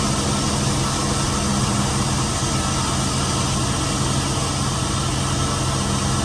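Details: Chevy van with 4.8 V8 after water pump replacement and coolant refill: steady, smooth idle with even low rumble and no knocks, squeals or misses; idles normally.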